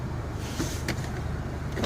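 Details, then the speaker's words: Nissan X-Trail diesel, started after finding the blown 20 A fuse that caused the no-glow-plug-light no-start. A steady, even idle with a few light clicks; the diesel is running normally. "As you can hear, it was this sucker here which caused the problem. Very good."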